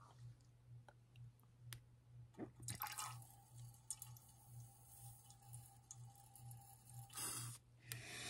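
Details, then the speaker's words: Fuel injector from a 2010 Husaberg enduro bike, after ultrasonic cleaning at 160°F, opened with a battery while pressurized injector cleaner is fed through clear fuel line. A steady hiss of fluid with drips, no sputter; it sprays freely where before almost nothing passed. "as you can see once the battery is uh connected with a little bit of air pressure or pressure on that fluid it um definitely is uh open now"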